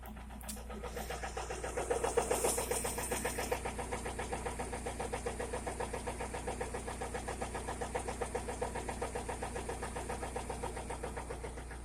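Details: Toyota Corolla E110 with 4E-FE engine: after it catches, a steady, even knock of about four beats a second sits over the idle. Engine knock.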